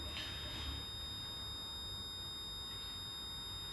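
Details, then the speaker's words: Unmodified gen3 Toyota hybrid system on the bench run by the new openinverter-based VCU: steady high-pitched inverter whine, normal sign it is energized and ready to respond to a torque request. "The fact that we're whining means that we're ready to go and it will respond to a torque request."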